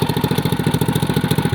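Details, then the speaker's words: 212cc CT100U small engine after fitting a billet rod and flat-top piston: sharp tapping knock on every firing stroke, about nine per second at idle; owner thinks it's the head, not the rod; slight smoking followed, then damage found. "You can hear it. Is that the rod, do you think? No. That's the head."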